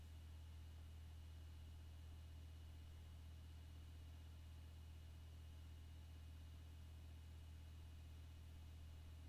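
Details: HP Pavilion dv6-6050ee laptop (2 GHz Sandy Bridge i5, 4 GB DDR3, ATI HD 6770 1 GB GPU): a quiet, steady low buzz with a faint high whine, cause unknown.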